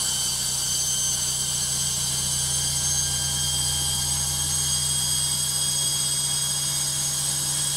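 A constant loud roar with a steady low hum and hiss, no knocks or bangs; the washer is noisy on high spin, cause unclear.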